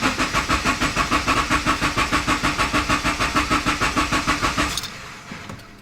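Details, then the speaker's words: 2012 Subaru Forester XT S-Edition (VF52 turbo, turbo-back exhaust, larger fuel pump) cranked with accelerator floored so it won't fire, priming oil filter and lines after oil change; steady starter churn about three turns a second for nearly five seconds, no catch. "when you go to start it and you have your foot to the floor it actually won't start the vehicle it'll just let it crank and what you can do is crank the car"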